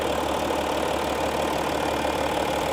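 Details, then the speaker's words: 2015 Audi SQ5 3.0 TDI Quattro diesel, well maintained by the previous owner: steady, even idle clatter heard with the hood open, no knocks or squeals. Very stable, no weird sound, no shock and no oil or coolant leakage. Normal idle. "No weird sound at all. No shock, no leakage of oil in any coolant."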